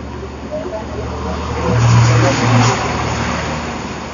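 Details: Suzuki Satria single-cylinder with PE carburetor, hard cold starting and stuttering, after replacing pilot jet with a larger one and carb repair kit: fires and settles, then takes two clean throttle blips without stumbling or popping; runs healthy.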